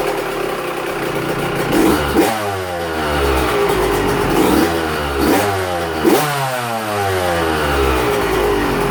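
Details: Two-stroke 125 on its first fire-up after a fresh top-end rebuild, choke on, cold heat cycle in a closed shop: crisp crackles and blips through repeated revs, pitch rising and falling cleanly with the throttle; healthy.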